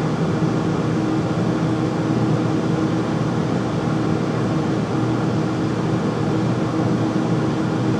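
Loud, steady roaring rush with a constant low hum underneath and no change in pace; the furnace runs noisily, cause unclear.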